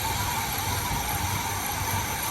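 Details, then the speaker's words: 1980 Chevy Malibu that stalls pulling away from lights, carb suspected: backfires on a throttle flip, then idles lumpy and shaky with irregular pulses; carburetor needs tuning. "So it backfired, right? Number one, it backfired. And it's shaky as hell. So see how shaky it is."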